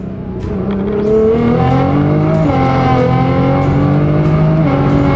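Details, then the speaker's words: Rebuilt Nissan R35 GT-R with added power and a recurring transmission fault light. Under acceleration, not even at full throttle, the engine note flares and jumps unevenly as revs outrun road speed: the clutch is slipping. "you can hear the clutch slipping here oh no oh oh no what it's not good what what's happened the gearbox is slipping like mad that was clut slipping all the way up"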